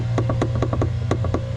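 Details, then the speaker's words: W123 Mercedes-Benz automatic transmission shift linkage rod, clips removed, rocked side to side by hand: about eight sharp hollow clunks from excessive play in worn linkage bushings, which are to be replaced. "there's a lot of play. You can hear it. I shouldn't be able to wiggle that side to side like that, so we're going to fix that."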